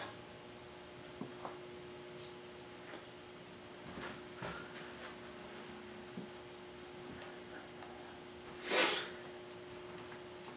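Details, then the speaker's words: Dell Latitude C600 laptop booting Windows 98: faint irregular ticks over steady electronic hum, hard drive seeking normally. "Hear the hard drive clicking away."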